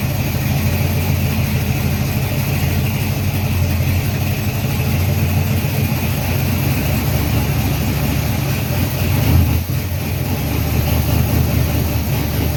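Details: Freshly built 350 Chevy on first break-in run, oil pressure around 46 psi, timing not yet set; strong, even raised idle with low rumble, no tapping or knocking: normal fast idle.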